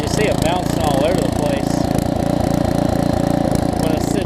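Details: Karcher pressure washer, 6.5hp Briggs & Stratton engine with new carburetor, after long non-use, idling unloaded; engine note keeps swelling and dipping, idle surging that clears under load.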